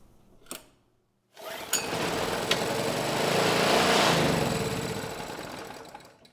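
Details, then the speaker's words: PowerMate generator (model PM0123250) that runs but makes no power: after a pull it catches, buzzes about five seconds, then dies; water found in the fuel and fuel flow seems restricted; water suspected as the cause. "Yeah, a little bit more water came out. Fuel flow seems a little restricted too. But I think it was the water that did it, so let's give this another try."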